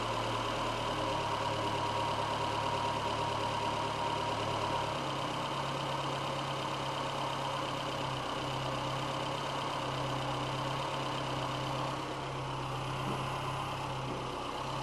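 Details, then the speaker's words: VW A1 with CIS injection; once the O2 sensor comes online the idle pitch steps down and hunts up and down, frequency valve stops buzzing, mixture badly out of adjustment. "once the o2 comes online you'll hear the engine I don't fluctuate see it's coming way down now the frequency valve and stop buzzing so the mixtures way out right now"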